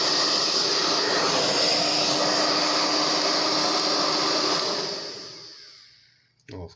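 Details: Hair dryer (Formula 6000 Turbo) after disassembly and cleaning; it had made a strange noise from a fan loosened by a clump of hair beneath it: steady even high-pitched fan whoosh, no rattle, smooth spin-down; runs fine.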